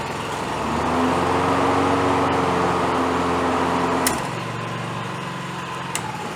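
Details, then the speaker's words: Honda HR215HXA Masters Series lawn mower after engine teardown and repair: small single-cylinder catches and settles into steady even running with no misfires or knocking; normal running. "well i'd say she runs i'll recheck the oil in it take it out tomorrow and mow some leaves up with it and see how this thing does"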